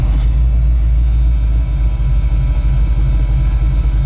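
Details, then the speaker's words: 1985 Ford F-150 with an HEI distributor replacing a failed MSD/Holley dual-sync unit, warm at 160°, idling at 700 rpm with AC running and 23% IAC. Deep, even low rumble with a steady beat, no knocks or misses. Normal warm idle. "it's running at 700 RPMs [Music] with the AC [Music] running exhaust smells pretty good"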